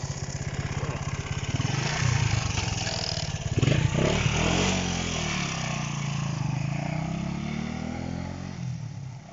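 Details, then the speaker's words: Honda CB125 RS after fixing wires touching that caused running issues: small single revs cleanly through the gears riding up and down the street, even firing with no cutting out or stumble; running normally. "she's going well so she's doing it she's flying going david"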